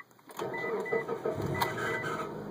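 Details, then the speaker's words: Manual-transmission car at start-up: runs fine once started but makes a short, harsh grinding squeal with scratchy rasping over the starter whir on cranking; owner was told it may be the starter or, worse, the flywheel. "as you can see it's on it starts fine it's just it makes a nasty squeal"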